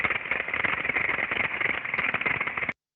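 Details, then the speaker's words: Same gear reducer heard through ultrasound after the defect developed: dense, rapid crackling impacts replace the smooth hiss; ultrasound RMS rose from 0.5 to 16 and peak from 1.5 to 31, internal impacting. "já quando você tem um defeito os valores explodem para gente vocês estão vendo aqui o valor né Foi de ponto 5 para 16 valor RMS e valor de pico de 1.5 para 31"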